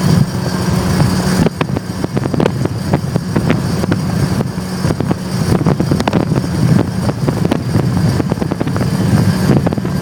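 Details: Heavy low droning roar with irregular clunky bursts while driving, just after fitting a one-piece aluminum driveshaft. Owner wonders whether the U-joints need greasing. The drivetrain noise is loud and its cause is unconfirmed.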